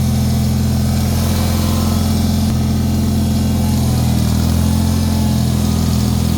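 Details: Bolens HT-23 snowblower tractor single-cylinder engine warming up for a few minutes after a hard start with worn starter Bendix: steady even low drone, no misses or knocks, running smoothly; belt slipping is a separate, unresolved issue.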